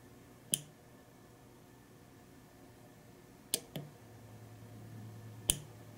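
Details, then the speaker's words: Uncovered relay on a relay module drawing about 78.5 mA at 5 volts when the coil energizes; sharp, crisp single clicks a few seconds apart in a quiet room, relay switching normally. "And of course, when you activate the relay, it takes a lot more energy and a lot more current to turn that bar of metal into a magnet."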